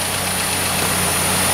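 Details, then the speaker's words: Engine idling smooth and quiet, with an even hum and no knocking or ticking left, after the vacuum line to the intake runner flap solenoid was pulled; the knock that sounded like a bent rod came from chattering intake manifold runner flaps. "see how quiet it is now"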